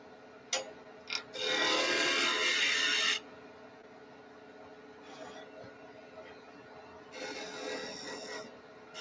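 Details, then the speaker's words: Wood lathe spinning at 2300 rpm turning spindle tops: steady high-speed hum with bursts of rasping as the gouge bites; runs smooth and even. "all right let's get rolling you got a cranked 2300 rpms nice and fast on spindles"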